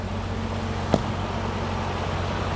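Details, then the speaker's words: BMW E34 M5, S38 engine, 335k miles, revived junkyard car at first start: steady, even idle with smooth low beat, no misses, hunting or knocks, revs up; runs smooth, a happy S38. "smooth oh yeah oh it actually revs up now yeah that's a happy s38"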